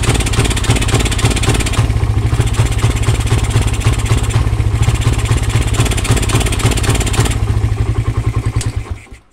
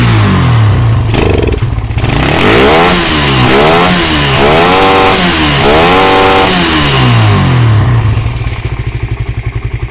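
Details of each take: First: Suzuki Satria FU single-cylinder engine starts and idles normally but stumbles and pops unevenly when the throttle is blipped; carb cleaning/adjustment and new spark plug did not help; faulty regulator/rectifier starving the ignition found as cause. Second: Suzuki Satria FU that would not rev with an aftermarket Fukuyama regulator/rectifier, now fitted with an original Suzuki Smash kiprok: blips cleanly from idle through several quick revs and settles back with no stumbling.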